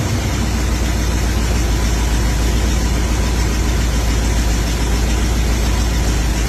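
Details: Older carbureted engine that had sat a while, started after its dried-out carb bowl was filled with gas: loud, throaty, continuous running with steady firing and no obvious knock; normal running.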